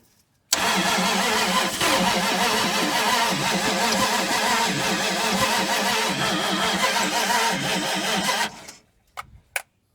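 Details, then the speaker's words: 1980 Dodge Power Wagon that sat 20 years: about eight seconds of steady, even cranking at roughly two turns a second with no catch, because the distributor was turned the wrong way and retarded the timing (counterclockwise advances it). "I've been spinning that distributor the wrong way, sure enough. It turns, small block Chevrolet Dodge turns clockwise, so you turn the cap counterclockwise to advance. Yep, I was going the wrong way."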